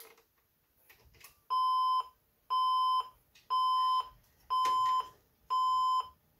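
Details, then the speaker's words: Older junk PC with an IDE hard drive and four RAM sticks: on power-up it gives five even long beeps at a steady mid-high pitch, about one per second. "and right away it starts beeping with an error let's see if we can figure out what's going on"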